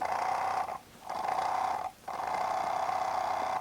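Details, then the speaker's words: BMW E34 V8 heater secondary water pump on the bench, cleaned of copper deposits inside and reassembled: three short bursts of even mid-pitched whir spinning up and stopping cleanly, now more rev happy; normal pump operation. "It seems to be much more rev happy. Okay, good."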